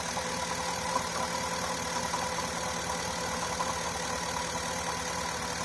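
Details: Porsche Cayenne 955 running rough under 3000 rpm with misfire fault, idling on the right-hand fuel pump alone at about four bar; steady, even idle with constant hum, no misses or surging, normal on this pump.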